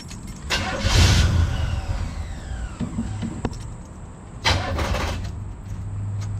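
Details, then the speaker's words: 1974 Chevy C10 dump truck abandoned for years, with a new battery. Starter cranks in a short burst, dies, tries briefly again and quits, same as before. Suspected poor battery terminal connection; it ran after the ground strap was replaced. "dead again this is what happened the other day nothing happening at all"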